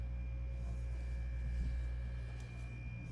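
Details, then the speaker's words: Pawfly MC-3000 air pump after fixing a loud rattle on a new unit, running on high: only a faint steady low hum, no rattle or buzz; super quiet where it was noisy before. Normal quiet running. "no noise from it at all super quiet and this is on high"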